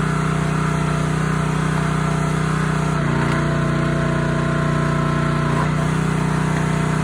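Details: Honda GX160 on a SplitFire wood splitter after carb cleaning and oil change for bogging and stalling when splitting, test-splitting wood: steady, even note dipping briefly as load comes on about three seconds in, then recovering smoothly; healthy under load.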